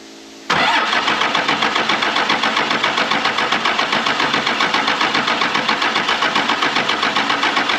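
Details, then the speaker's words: 1996 Dodge 2500 with a 12-valve Cummins diesel, sitting 15 years, cranking with the throttle worked: the starter spins steadily at about four compressions a second and never fires. "let's see uh we cracked some injection lines if we ain't got some fuel"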